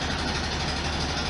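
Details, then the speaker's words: 1973 VW Super Beetle air-cooled flat-four after valve cover gasket and oil/filter change (STP additive, high oil pressure), lukewarm idle just under 700 rpm, started without throttle: steady, even putter with no misses or knocks; normal idle. "kind of a lukewarm Idol just to touch under 700 I didn't have to put my foot on the gas to crank it up which is good sign so maybe I've got some of my idol problems fixed"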